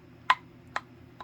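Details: SelectTech 552/1090 dumbbell handle fitting loosely in its crossbar end, shifting and producing sharp clicks that fade, each about half a second apart, in a quiet room; fix is wrapping the handle end with electrical or masking tape to tighten the fit.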